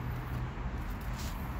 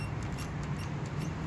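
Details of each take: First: Toyota FJ Cruiser front suspension rocked after lubricating the front shock's rubber bushing with silicone spray: only low dull rumbling, the high smoke-detector-like chirp gone, at least for now. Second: Toyota FJ Cruiser with the hood pressed down: short high smoke-detector-like chirps from a dry rubber front shock bushing, also heard over bumps. Fixed with WD-40 silicone lubricant.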